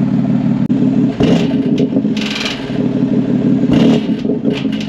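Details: 2022 BMW X3 M with VRSF downpipes, light throttle in a mode that keeps the valves open: loud exhaust drone with loose metallic clatter on slight acceleration; the OEM muffler valve actuators, mounted inside the exhaust, have failed.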